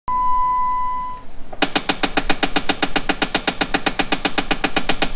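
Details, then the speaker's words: Jeep Wrangler with rapid, steady clicking or knocking from behind the dash when adjusting AC or heat, sometimes on unlocking the doors; a failing blend door actuator skipping its gears. "if your Jeep Wrangler is making that weird knocking noise it sounds like it's coming from the dash well this is probably the video for you"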